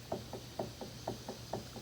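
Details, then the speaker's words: Worn factory Honda kingpin bushings on a 1986-1987 Honda TRX70, tire and hub plate removed, spindle rocked by hand: quiet sharp smacks about four a second in a back-and-forth pattern from excess play. "These are the factory Honda bushings that were in here. So as you can tell, right, you can hear it smacking."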